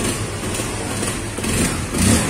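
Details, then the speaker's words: Honda CB150R after replacing the ignition coil with a Vario 125 coil: runs evenly at a steady idle with a light throttle blip, no stumbling; it had died on throttle and sputtered before. "ya Allah sempurna teman ternyata koilnya ini stasioner anteng"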